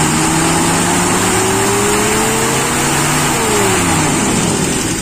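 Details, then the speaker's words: Toyota Kijang with Aisan carburetor, first test after teardown and adjustment, accelerator pump not installed: revs climb cleanly and fall back without stumbling or hesitation, smooth from bottom to top; normal acceleration. "bagaimanapun original itu beda rasanya berisik gitu loh tidak ada grenjel-grenjel mulai dari bawah sampai atas menurut saya halus"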